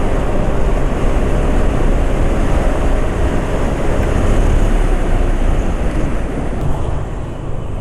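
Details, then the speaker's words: Scooter engine on Ultraline 2T side oil used as engine oil, about 40 km of use, cold weather, riding with road and wind noise: steady smooth drone, no knocks, rpm not dropping fast, running normally. "ya untuk suara mesin masih enggak Parah ya esak-asaknya untuk getaran mesin e masih halus e RPM mesin juga termasuk enggak cepat turun ya masih licin lah ini kondisi nya"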